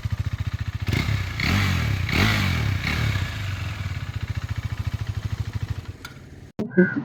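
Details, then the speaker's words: KTM 390 at idle: steady even single-cylinder thump with no knocking or rattles; engine healthy with no complaints; normal idle. "അപ്പൊ ഇതാണ് കേട്ടോ വണ്ടിയുടെ engine sound. എഞ്ചിനൊന്നും യാതൊരു കംപ്ലൈന്റോ കാര്യങ്ങളോ ഒന്നും വന്നില്ല."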